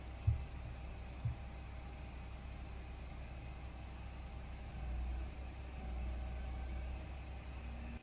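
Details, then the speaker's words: Toyota bought at auction and driven straight home without problems: a quiet, even idle rumble with no knocks, misses or ticking, only a couple of faint thumps. The engine sounds good with nothing wrong. "So as you can see, the motor sounds good. There's nothing wrong with the motor."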